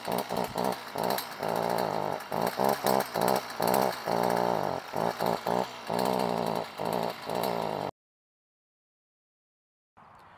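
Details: Stihl FS 55R string trimmer two-stroke revs in short choppy bursts that sag and never hold full throttle; bogging persisted after replacing the carburetor, caused by a carbon-clogged spark arrestor.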